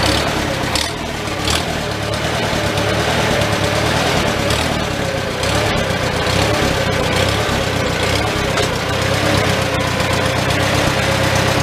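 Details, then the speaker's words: Old Farmall tractor engine idling in neutral inside a tight, smoky shed with the muffler cap removed, just after starting on choke; steady, even mid-pitched chug, no knocks or misses. Normal idle, running not too bad. "okay guys a little smoky in here yeah you don't want to run it too long in here so uh that's not running too bad now"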